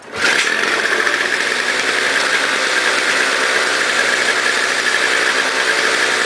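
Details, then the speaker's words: Toro CCR 2000 single-stage snow blower, 4.5 hp, after carburetor cleaning; had smoked with very old gas backed into the cylinder: steady high buzz at even speed, no misses or surging; normal running. "so as you can hear it's running great"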